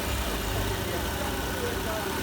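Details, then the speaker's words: Citroën C4 1.6 16v at idle after the timing belt and Poly-V tensioner were replaced, along with the filters and oil. A smooth, even low hum with no ticking or rattle from the front of the engine shows the earlier noise is gone. "E aí e acabou aquele barulho adutora que estava fazendo o choque gostou ficou bom"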